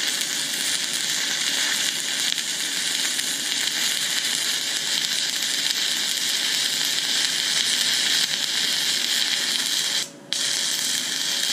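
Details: YesWelder Firstess MP200 stick welding at 120 amps: a steady crackling sizzle that drops out completely for a moment near the end; slightly better at the higher heat but still cutting out, and a bit hot.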